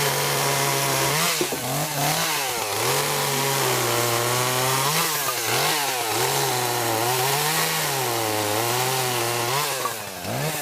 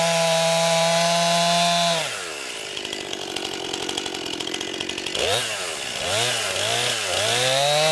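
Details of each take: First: Chainsaw idling/running after sitting unused since about early December, high buzzing revs sagging and recovering every second or two, bogging and nearly dying; cause suspected, not confirmed. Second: New 50cc two-stroke chainsaw, about ten pounds, cutting wood from a skidded pile on a cold day: screaming at high revs, dropping under load into the cut and recovering cleanly. Owner finds lots of power for 50cc; normal healthy cutting.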